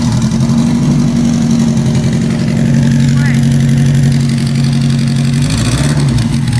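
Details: Car sitting about two months in cold shop, just reassembled with new sequential transmission gears; engine idles uneven and lumpy with a stumbling, missing beat, not running on all four cylinders; owner suspects injectors rusted shut from sitting.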